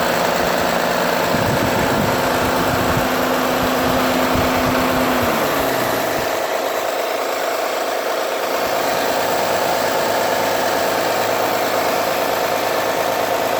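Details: 2009 Honda Accord V6 on cold start: a light regular knock about three a second that goes away after a few minutes of idling. The owner suspects a pulley or the belt tensioner; not confirmed.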